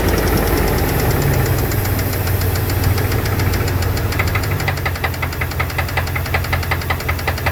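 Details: 2002 Dodge Dakota 4.7 litre at idle: quick, even tapping about two a second riding over the exhaust note; owner suspects lifters or piston slap, unconfirmed.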